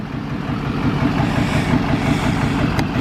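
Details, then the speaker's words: Duramax diesel truck after Lucas fuel system treatment, previously smoking at idle: steady idle clatter of about three pulses a second with no stumbling or miss; idles smooth with no smoke, though owner thinks it still needs injectors. "But I don't know, it just how idle and sound good as fuck right now."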